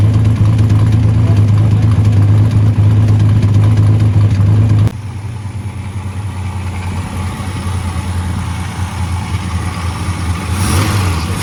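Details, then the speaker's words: 1979 Ford Capri Mk3 Ghia 3.0 V6 barn find, running next day on jerry-can fuel with no coolant, about 5 minutes; deep even note under a rev, settling to steady idle without knocks or misses; engine judged good. "Pretty much it. Got it running, that was the goal. We know she's good, we know the engine's good."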